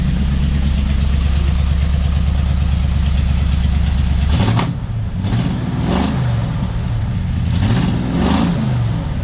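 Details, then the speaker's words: Freshly built 400 big-block Mopar (4-speed, for a 1964 Dodge Polara 500) on first runs, fan moving air: deep, steady idle with smooth rev rises, no knocks or misses; sounds healthy; a header leak noted, not loud; normal idle. "That fan moves some air, don't it? that. That actually sounds pretty good. Probably idle that down some. I can live with that."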